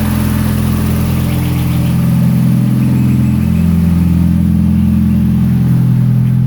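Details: 1992 Toyota Starlet GT EP82 with IHI VF34 turbo, started in cool early-spring weather: steady, slightly raised idle hum, even beat, no misses. Cold idle sits high though calmer since the clutch job; owner suspects the old wax (fast-idle) unit.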